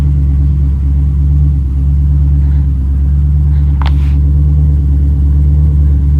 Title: First fire up after vacuum leak fixed.